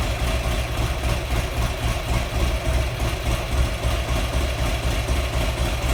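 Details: Buell XB12R V-twin at idle on its first start after rebuild (earlier found water in the engine): lumpy, uneven beat with extra clatter over the low rumble; rough running.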